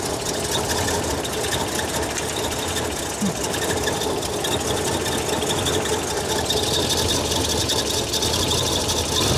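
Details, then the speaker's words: Holden VK Berlina Commodore revived after over 10 years stored in a container: steady idle with faint, uneven light metallic dings on top; the alternator has a missing bolt and the fan shows small marks, so the fan is likely catching the alternator. "as for the dinging noise unsure it's that hitting something oh it sure is what's it hitting oh the alternator even bolted on bro huh okay so we think the noise the small witnessing noise is the alternator cuz there is some small little marks on the fan"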